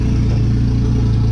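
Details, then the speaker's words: JDM Evo on an open downpipe, no exhaust: loud deep idle with slight rpm waver around 1850; owner says idle is a bit funny and needs the ECU idle relearn procedure. "the idol like I said is a bit funny and it has an idle relearned procedure in the PC"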